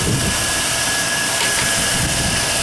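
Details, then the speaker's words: 1999 GMC 1500 4x4 SLE idling after power steering pump and alternator replacement: smooth, steady idle with faint constant whine, no misses or knocks; alternator now shows correct voltage (was overcharging before). Normal running. "Boy, she sounds good now. Alternator is even showing the correct voltage now."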